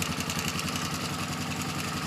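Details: Polaris Sportsman 450 ATV on restored original Mikuni carb, needle lowered one clip step: steady single-cylinder idle with fast metallic rattle on each firing pulse, owner suspects starter clutch rattling; slow screw still needs tweaking; rattle at idle.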